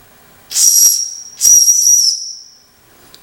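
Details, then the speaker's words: Jensen #5 electric steam engine warming up: two sharp high hissing bursts with thin whistle then quiet, boiler venting steam while building pressure, normal; water logs in the pipe. "you can hear kind of heat here start to sizzle and just close this off and crying built some pressure"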